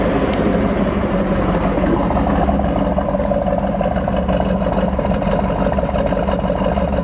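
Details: 1969 Ford Mustang Mach 1, 428 Cobra Jet Ram Air R-code V8, 30k original miles, restored: even, steady big-block burble at idle with a regular beat and no tapping or misfire, a healthy idle right after an easy start.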